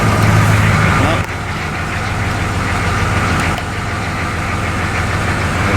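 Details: M1028 CUCV diesel truck idling after installing upgraded glow plug control card, glow plugs cycling correctly at key-on: steady low diesel clatter, even and unbroken, no stumbling or surging; engine running healthy.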